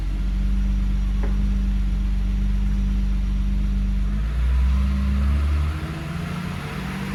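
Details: 1986 BMW E30 325e with the M20B27 six, just after a timing belt replacement: a smooth, low drone that rises briefly with a throttle blip, then settles with no clatter or slapping. Runs healthy.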